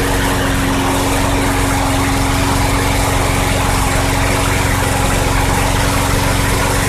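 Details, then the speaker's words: 2006 Craftsman 917.376160 push mower, tank nearly bone dry, running after carb cleaner was sprayed in: an even, steady single-cylinder putter at constant speed with no misses, pops or knocks, so it runs healthy. "okay well the engine runs actually it sounds good I have no idea what it's running off of that tank was bone dry pretty much"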